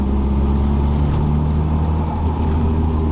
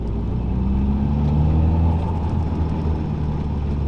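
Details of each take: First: Nissan S13 Silvia/180SX (SR20DET/CA18DET) driveline drone in 4th gear at cruise, same RPM range; barely present in 1st–3rd and 5th; owner suspects backlash when 1:1 fourth gear matches engine and diff speed, after new driveshaft centre bearing; cause unconfirmed. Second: Nissan S13 Silvia/180SX, SR20DET/CA18DET, driving in second gear after the driveshaft centre bearing was replaced: smooth low drone rising with road speed, no whine or hum. The driveline noise remains only in fourth gear (1:1), possibly diff backlash.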